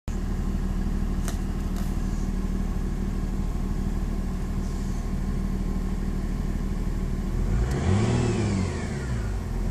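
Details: VW Passat TDI V6 diesel pulling under acceleration with a faint whine over the engine drone that rises with revs; it is louder in lower gears at high rpm, goes away in top gears, and is newly appeared.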